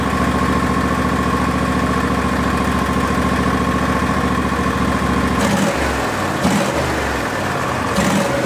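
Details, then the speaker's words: Barn-find Hayter ride-on mower started after sitting: steady twin-cylinder putter at idle with no misses or pops, then a few throttle blips; runs cleanly and sounds nice, earlier smoky on choke. "sweet so at least we know that it runs and it sounds pretty nice"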